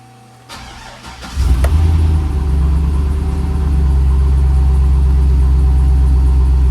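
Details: 2005 Chevrolet SSR with 6.0L LS2 V8, automatic, 175,000 miles: quick crank, catches cleanly, flares up then settles into a smooth, even idle with no knocks or misses; runs and drives.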